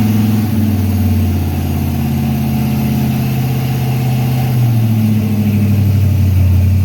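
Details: Freshly built Chevy 350 V8 during first break-in run, idle turned up, oil pressure around 46 psi: deep, steady, smooth raised idle with no knocks or ticks; normal raised idle.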